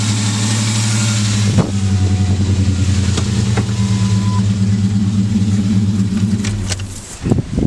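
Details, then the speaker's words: 1999 Ford Ranger at idle, uneven wavering beat with occasional stumble; air leaking from a hose connector under the throttle body on the driver side, and covering the hose makes the engine run smoothly. "so this hose is leaking air and that's also what that so when i covered this the engine would actually run perfectly fine how it's supposed to run"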